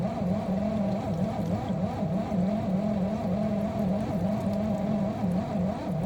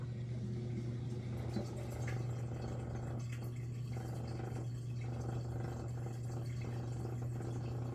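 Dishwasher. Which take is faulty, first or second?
first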